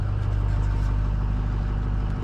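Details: Ford 6.0 diesel truck, cold after sitting a few hours, with a deep, steady clatter at a smooth, even idle and no misses or knocks. The glow plug fault looks fixed (P1000) and battery voltage is under 12 V. Normal cold idle.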